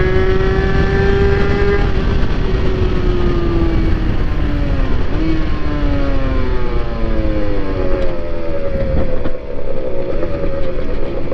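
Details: NSR80 two-stroke after head gasket replacement, main jet 145→140 (slightly rich, kept for safety margin): crisp note climbing and falling cleanly through the revs, no rattles, knocks or misfires; pulls smoothly, though mechanical seal still leaks coolant from weep hole.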